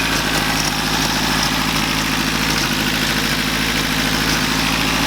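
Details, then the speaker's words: First-gen Toyota 4Runner with a blown engine fuse and a possible bad head gasket, idling right after first firing after sitting. A loud idle with a lumpy, occasionally stumbling beat and no exhaust steam. Owner suspects a slight miss; not confirmed. "I cannot believe it fired off. Sounds like we got a little bit of a miss."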